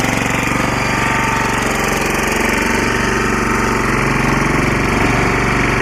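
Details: Lombardini 6LD260 air-cooled single-cylinder diesel on a traffic sign, cold start after 10 years unused, old diesel purged, fresh fuel from remote tank: steady even idle thumping against the alternator, no misses or knocks, slight smoke; healthy.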